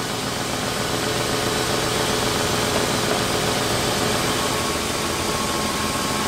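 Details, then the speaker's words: 1996 Lincoln 4.6L V8 after repairing a coolant leak from the heater hose under the intake manifold and refilling coolant: idle rises and falls as the engine relearns, then holds smooth and steady with no misses, ticks or knocks. "that aisle going up and down it's just we're learning where the engine's supposed to sit that sounds pretty good"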